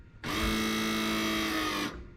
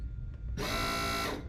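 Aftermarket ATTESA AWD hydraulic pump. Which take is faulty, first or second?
second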